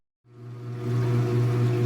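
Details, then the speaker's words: Speed Queen AWN432SP washer on the delicate cycle with cold water, loaded with laundry, starting a second spin for the extra rinse: the motor rises from silence to a steady low hum as water pumps out smoothly, with no knocking or rubbing, a normal spin start. "now it's gone into a second spin cycle might be able to see right there or some spam as indicator is so it's actually beginning to spin right now and I can hear it kind of pumping the water out a little bit"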